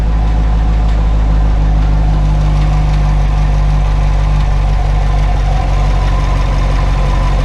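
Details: Corvette at idle: a faint, uneven light tapping over the engine that can also be felt in the car; the dealer blames the high-pressure fuel pump, but the owner doubts it, so the cause is unconfirmed.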